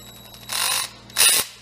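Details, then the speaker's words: Stanley FatMax drill reassembled over a year after disassembly: two short bursts with a harsh, gritty whir over the motor; owner suspects glue stuck inside, and the grinding seemed to fade at higher speed. "I hear some grinding though what is that noise huh maybe some glue stuck in there and it's hdden"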